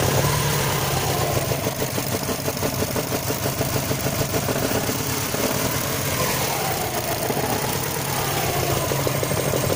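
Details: Subaru Forester SF5 with an EJ205 boxer engine idling, with a rough, uneven knocking mixed into the idle rumble; engine knock, cause not pinned down.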